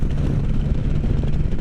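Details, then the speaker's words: Can-Am Spyder F3 cruising after belt adjustment (pulley previously spun and once fitted backwards): steady low engine drone and wind rush, no belt slap, chirp or squeal; belt noise gone though belt position not ideal. "But I was able to adjust it, and I've gone on many rides. And by many, this is probably the 4th time of my rides. I can't see over that. And, you know, noise is gone. The belt's not exactly where I would like it to be,"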